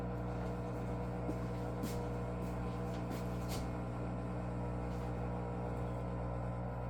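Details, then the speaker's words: Electrolux washer (#549992), color cycle drain with only water, no soap or clothes: steady low droning strained buzzy hum that grows louder toward the end; drain pump sounds to be laboring, cause not confirmed. "it's laboring it's like see it starts at 14 we had a 15-year-old washer and didn't make that noise before it's going to start getting louder and louder until the end"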